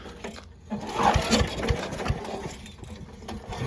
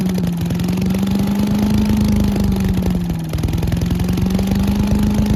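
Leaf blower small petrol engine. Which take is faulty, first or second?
first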